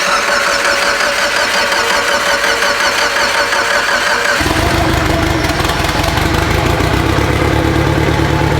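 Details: Abandoned Mitsubishi Evo 8 being built for 800whp, first start without radiator or coolant: short crank catches after about four seconds into a steady even idle, no knocks or misses; normal idle.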